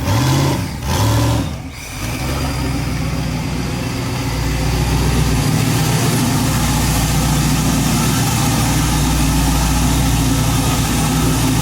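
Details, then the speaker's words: Mazda RX-7 driven for the first time: engine stumbles and backfires when blipped, then settles into a lumpy drone and won't rev. Owners suspect the tune, made for Colorado, or plugged injectors. "this thing's a boat anchor you couldn't hear it backfiring all hard oh i could hear it i don't know what it is"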